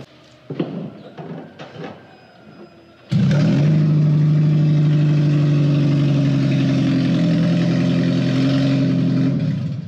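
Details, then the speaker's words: 2009 Toyota Prius whose catalytic converter was stolen overnight while street parked: after some clatter the engine starts into a loud, deep, droning exhaust roar, far too raw, because the catalytic converter is missing. "so after limping at home into the parking garage and getting some unsavory looks from the neighborhood boy people do not expect this car to sound like that"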